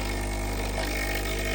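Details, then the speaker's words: Breville Dual Boiler BES900 espresso machine with no water flow issue: steady low buzz from vibratory pump, weaker than usual; pump works but not at normal strength, failing. "at least the pump is okay working okay not the best it's usually much stronger than"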